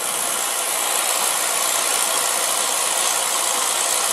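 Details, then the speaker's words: Beckett oil burner, two-pipe pump, Carlin Pro-Max control with TT jumped: smooth constant fan hiss, no rattles or pulsing, purging before the 15-second delayed oil valve opens; normal pre-purge. "now let's exit and we'll run this pre- ignition 3 seconds delayed oil valve 15 seconds for delay oil"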